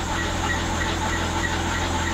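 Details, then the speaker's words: BMW E90 328i N52 at idle right after an oil change (Castrol Edge 5W30): thin steady high-pitched squeal with faint chirps; owner suspects serpentine belt needs replacing, possibly pulleys, unconfirmed. "I don't know if you guys can hear it, but it's like squealing really bad. So pretty sure the belt needs to be changed,"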